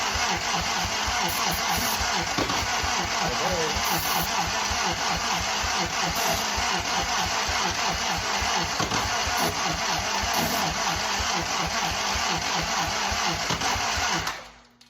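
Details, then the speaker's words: Original WWII Willys Go Devil engine, not run in decades, 12 V starter on 12 V battery, points ignition, starting fluid: long even cranking with steady compression pulses but no firing; engine turns, won't start yet, starter still cool. "It's trying. Starter's not even warm, so that's good."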